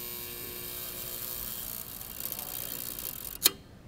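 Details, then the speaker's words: General Electric 121AC53B electromagnetic time and instantaneous overcurrent relay: faint coil hum rising as test current increases, then one sharp click as the instantaneous (50) unit picks up at about 10.2 amps; tripping correctly. "so once again I'm going to increase the current in my test I'm going to see when that instantaneous unit picks up let's watch it"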